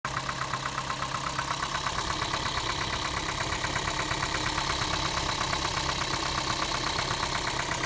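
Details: Toyota Prius (second generation) engine at idle: steady sharp tapping about three times a second over an even idle; knocking whose cause is not identified.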